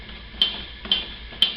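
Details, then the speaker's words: 1969 Camaro RS/LS door: three sharp metallic pops as the door skin flexes because its inner braces are not welded in and are rubbing; plug welding the braces will stop it. "You can kind of hear it popping right there. When you pull these back and plug weld them, then it'll stop that."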